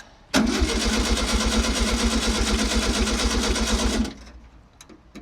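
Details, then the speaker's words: 1964 VW Beetle, unrun for almost 20 years, cranked on temporary 12V with coil cable-tied: starter spins briskly about four seconds, roughly two compressions a second, no firing; cranks but won't start, carburetor suspected, found full of gunk. "So, the Beetle is still on the side of the road. Um I think the carburetor was the issue."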